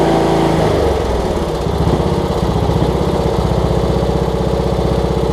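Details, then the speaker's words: Cub Cadet riding mower, Kohler Courage single-cylinder engine, running well right off the bat after HIPA carb kit replaced a leaking carb: steady even putter at fast settled speed, no misses or surging; normal running. "But again, that thing runs awesome with that Hipa carb. So it's hard to get these things running right a lot of times, and so for this one to be running good right off the bat."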